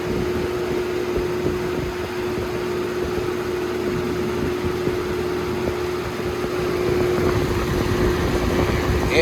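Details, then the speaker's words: Holmes HABF-20 box fan, circa 2000–2001, on high speed: loud steady roar with fixed hum and uneven rattly buzz underneath; fan shakes badly on high, vibrating in its housing. "shakes like crap too of course"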